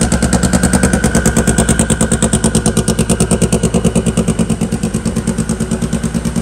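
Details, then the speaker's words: Hot rod engine after fixing the cam sensor and setting cam sync, running on all four: crisp, evenly spaced exhaust pulse about three beats a second, no misses; clean, healthy idle. "there we go boys oh yeah she crispened right up got her all synced up showing up we're ready to jam"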